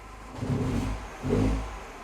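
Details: Mini Cooper R56 started cold, misfiring and shaking until warmed after a mile or two: engine nearly stalls, then two quick throttle blips, each rev rough and uneven; cold-start misfire traced to a faulty coolant temperature sensor misreporting temperature.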